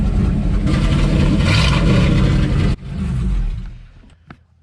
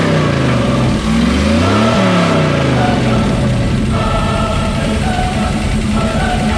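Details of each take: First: Square body Chevy Suburban old V8 on a known-working carburetor after plugging vacuum ports: lumpy, uneven low rumble at idle before dying off; rough idle, owner suspects carburetor idle circuit. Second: Square-body Chevy Suburban big V8 on a known-good carburetor with vacuum ports plugged revs up and settles to a mostly steady run, slight idle unevenness; owner thinks idle circuit needs work, likely carburetor, suspects crud in old carb.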